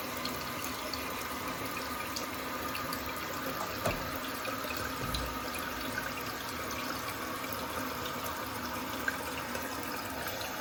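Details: Toto toilet with a Korky fill valve after greasing the valve to cure a deep groaning tone: the tank refills with a steady, smooth water hiss, no groan, and shuts off cleanly.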